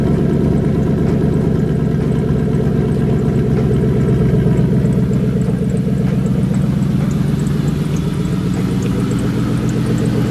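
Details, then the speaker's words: Deep, lumpy, uneven V8 idle that wanders, running really rich on an untuned fuel map after a turbocharger install on a 2003 Mercury Marauder 4.6L DOHC V8. "I'll show you guys how it runs get the keys and just start it up let's take a little time it's really rich"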